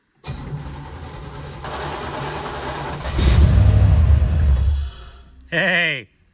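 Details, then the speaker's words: 1987 Chevrolet Camaro Z28 parked nearly 30 years, first start attempt in neutral after priming fuel pump: cranks about three seconds, catches into a brief rough roar, then dies; owner suspects distributor was left loose. "there's some progress hey let me check the distributor because I actually think that I didn't tighten that"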